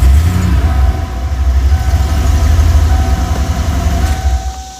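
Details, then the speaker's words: Ford 302 V8 after an engine swap, once the earlier rough running was sorted out: deep, even idle with a steady low burble and no knocks or misses until shut off; normal running. "so what i'll do now is i'll start it up now let you hear what it sounds like after i've got it all sorted out"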